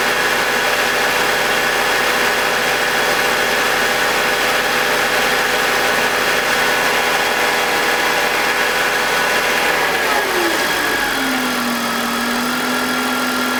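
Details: BMW E46 with M52TUB25 engine at idle, exhaust VANOS disconnected: steady even idle, no grinding or scraping, no RPM drop; note drops and settles smoothly near the end. Owner suspects the VANOS causes a grinding noise, worse at startup, heard when connected. Normal idle.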